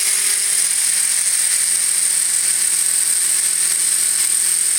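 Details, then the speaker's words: RC helicopter with iKON flybarless governor and ICE II ESC, spooled up in Stunt 1 at 2200 rpm headspeed: high steady whine with constant rotor hum, no hunting up and down this time; normal steady headspeed. "there's the spool up and that's in stunt one so that's a 2200 rpm"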